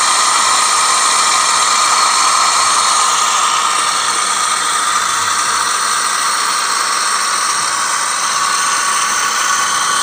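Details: 2007–2010 Toyota Sienna 3.5 2GR-FE V6 at idle: loud steady gritty grinding with a thin whine from the belt side, traced to a worn lower idler pulley bearing, replaced.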